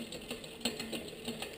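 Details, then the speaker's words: Bike rear derailleur during index adjustment, cable slack taken out too far via barrel adjuster: quick uneven clicking and ticking as cranks turn, chain catching the next cog while on the second cog; pulley too far inboard, rear derailleur cable tension too high. "it is a noise but if we look the pulley is now actually too far in board we're trying to actually shift the bike is trying to shift itself well the limit screw cannot control this this is on the second Cog this is controlled by our our our tension our cable housing length here so I've taken out too much slack"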